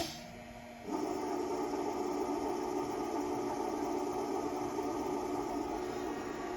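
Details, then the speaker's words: Repaired Haas servo control with breakout box repaired, function test after homing, running a cycle to preset positions: short pause then steady even whir with low mid-pitched hum, no knocks or grinding; normal servo axis motion. "And we will go ahead and do a cycle start. And you can see it moving around to our presets we have entered into the control."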